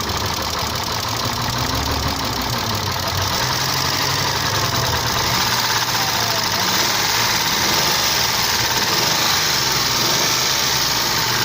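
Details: Isuzu 3.2 6VD1 SOHC 177hp V6 at steady idle: fast light ticking keeping pace with the engine, with hiss on top; hydraulic lifters tapping, likely from counterfeit oil, since the knock disappeared on different oil.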